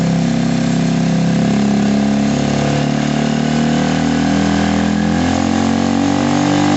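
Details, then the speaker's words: Gilera scooter after a fuel-problem fix, idling on the stand while warming up, with the rear wheel spinning and the automatic choke possibly still on: steady, even low putter with no knocks or misses. Normal healthy idle; loose parts rattle separately. "You can hear it, guys, it's absolutely spot on. There's no issues at all with that running."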